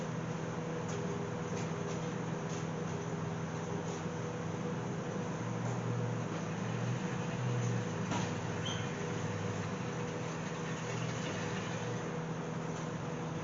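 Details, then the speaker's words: AMC Gremlin that sat in fields for over 15 years, fitted with an unknown 290 V8 from a 1968 Javelin, fuel poured in. Steady starter churning with no firing pulses. No spark suspected. Crank no start, no ignition spark. "Well, she turns over, but I don't think she's getting any fire. It sounds like she's not shooting any sparkage."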